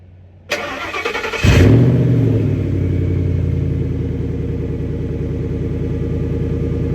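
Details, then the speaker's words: 10th-gen Ford F150 with a freshly installed PI 4.6 engine and an old high-mileage transmission fitted with a cheap replacement torque converter: the engine cranks, catches, then idles with an uneven low drone underneath. The owner suspects the torque converter; the previous one chattered. Not confirmed. "But now my transmission is it's making a funny sound. I think it's my torque converter. The old one, it was chattering, and this is an old high mileage transmission."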